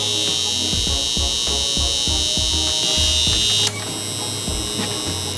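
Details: Growatt inverter switched on after the auto transformer, on 240 V, other breakers off: steady high-pitched alarm pulsing about four times a second; owner suspects wiring, possibly flipped wires.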